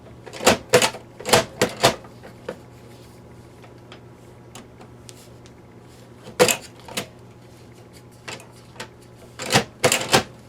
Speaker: the belts are shot on the tape deck i can put a tape in and i can hear the motor trying to go through the motions but there's not enough belt and grip to get it to do anything